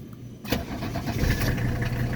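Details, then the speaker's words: 1983 Mercedes 300CD (W123) turbo diesel, truly cold and not driven, after the glow plug light: a brief crank, then it fires right up and settles into an even, deep diesel idle. A clean cold start. "So this is a cold start, and we'll also show a blow-by."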